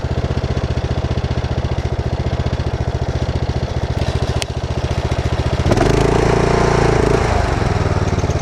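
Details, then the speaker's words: Mower less than a year old with about 23 hours, sounding worse the longer it runs: a loose rattly clatter at low idle that smooths out at high idle. This clatter is new. "But now, let's bring back to low idle. You'll start to hear it kind of clatter around quite a bit. And it did not used to do that at all."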